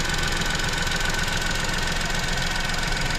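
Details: Tata Nexon BS6, 2021 model, idling after a jump start of its drained battery: steady, even idle with a light regular clatter, no misses or knocks; engine running normally.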